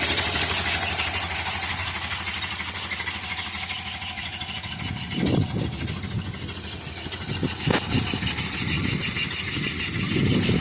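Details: Engine at steady idle after exhaust leak repair and cracked intake manifold fix: no puffing or hissing, just a few handling bumps; normal idle.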